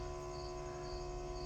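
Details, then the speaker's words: MGB, key-on after new ignition wiring, just before first start: quiet, steady electric hum with a constant mid-pitched tone as the fuel pump runs and primes normally. "Alright, so let's see what happens when I click the key on. Fuel pump comes on. That's a good sign."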